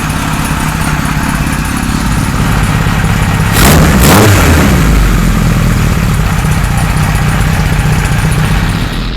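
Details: 1978 Kawasaki Z1-R four-cylinder on the stand after re-jetting (20 and 117.5) and carb re-sync: brief starter whirr, then catches and settles into steady, even idle without stumbling; normal, balanced idle.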